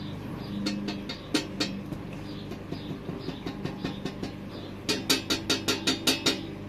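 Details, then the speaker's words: 2018 RadPower e-bike accessory (rear rack/large basket) shaken by hand: loose, uneven metallic clatter with bursts of sharp ticks; tapered butt joint lacking a weld rattles, probably has some play, owner thinks likely not an issue. "but you can hear it rattling can you hear that"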